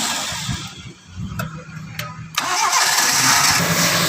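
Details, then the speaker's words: Toyota Starlet after light service with fresh oil change and engine flush, previously rough: engine cranks, catches after a short pause and settles into an even, quiet, smooth idle; normal idle. "Oke, suara mesinnya halus banget ya, seperti mobil baru pada umumnya, karena memang ini oli diganti terus mesin digurah sehingga lebih halus dan lebih sempurna aja sih dengernya gitu loh."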